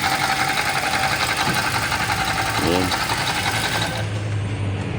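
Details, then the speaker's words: Toyota Rush idling with a gritty, whirring rumble until shutdown; with the drive belt removed and pulleys spun one by one, the noise was traced to the water pump bearing. "Okay, narinig niyo yun yung tunog na yon. Kaya para masigurado, magtatanggal muna tayo ng dry belt. Iikutan natin isa-isa yung mga pulley para malaman natin yung mga papalitan."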